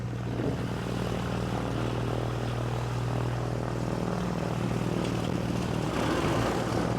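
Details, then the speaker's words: Cessna 421C engine two at start-up, fitted with magnetos taken from a 310: a steady, even propeller drone with no misses or rough patches. It fired right up and runs smoothly. "hey man that one fired right up"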